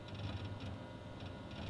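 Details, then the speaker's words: Old Windows XP PC with 2 GB RAM, its hard drive described as nearly dead, gives irregular ticking and scratching over a hum while opening My Computer, which takes 35 seconds to load. "if we go ahead and launch my computer, you're going to A, hear how noisy the hard drive is, and B, see how long it takes to load that."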